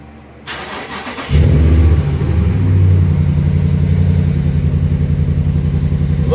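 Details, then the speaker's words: 2017 Ram 1500 Laramie Crew Cab 4x4, static start after front rotor and brake replacement to prime brakes: starter whirs briefly, engine catches and settles into a steady, even idle with a smooth low pulse; healthy start. "sound of a good ram. I'm going to let it idle for just a few minutes."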